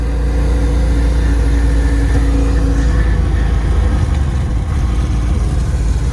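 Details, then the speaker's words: 1994 LT1 Corvette after an engine rebuild, ZF manual with a single-mass billet flywheel and unsprung clutch, driving in second gear with the shifter boot open. Steady engine drone, faint gear hum, no grinding or clunks; the transmission rumble is gone, normal running. "i just want to get a video to show how it is smooth now the transmission the rumble it's all gone"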